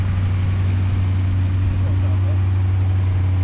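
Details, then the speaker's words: Dodge diesel truck at a Ritchie Bros auction preview holds a steady, even low idle with a deep hum and no tapping or knocking; sounds pretty good, normal diesel idle. "yeah it actually does sound pretty good"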